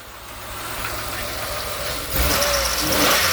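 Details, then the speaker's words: 2000 Pontiac Grand Am 3.4L after ICM and ignition wire plug replacement: fires right up and idles, then revs, with an irregular ticking knock still riding over it. It runs a little better; a check engine light is on, owner suspects the crank sensor. "still kind of making some noise though i mean it seems to run a little bit better"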